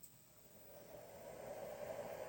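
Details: Small 24V 5A e-bike charger fan, which squealed on cold start, spins up after oiling to a soft, steady airy hiss with no squeal or rattle.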